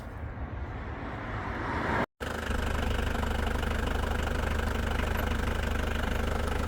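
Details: Mitsubishi Pajero turbodiesel after valve cover gasket, oil change and new alternator (charging 14.2 V vs 12 before), warming toward temperature; even, steady idle with deep rumble and regular light clatter, about three to four beats a second, no misses: normal diesel idle.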